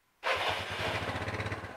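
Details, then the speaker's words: Yamaha Mio Sporty after engine reassembly, with a new original standard carburetor replacing the hard-starting one: catches at once on the electric starter with the left brake held, then settles into an even putter. Normal start and idle. "Oke, cukup tekan tombol starter sekali dan mesin langsung menyala."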